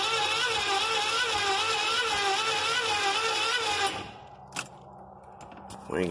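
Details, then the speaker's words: 1983 Chevy van with gas poured into the carburetor cranks steadily at about four compression pulses per second but never fires. The owner suspected the electronic spark module and bypassed it, then planned to check under the distributor cap; cause unconfirmed. "no fire I'll distributor and I thought it might be the electronic spark throw so I bypassed it"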